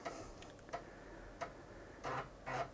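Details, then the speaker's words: Amiga 1000 loading the game Hybris from floppy after booting the Kickstart disk; crisp head ticks about every two-thirds of a second with short chattering bursts; normal seek chatter for this game. "yeah that sounds quite normal for hybris it does that disc chattering"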